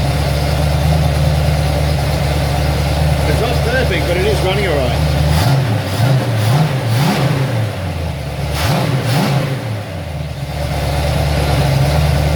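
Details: Ford XC Fairmont 351 V8 on a run stand with Thermoquad carburetor, choke left unset: slightly lumpy idle with quick throttle blips rising and falling cleanly, no knocks; owner judges it runs well.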